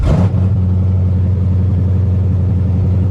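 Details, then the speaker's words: Project Corvette hot start: fires straight away and settles into a smooth, steady idle around 900 rpm without hunting; healthy. "It idles down good and everything. Yeah. Idles down. It's probably like 900."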